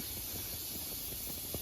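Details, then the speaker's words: Gravely 8163-B tractor, new inner tube just fitted inside the tire with vice grips on the valve stem: a steady, airy hiss with no pulsing or sputter as the tube inflates evenly, no sign of a leak. "I hear it inflating. That's good."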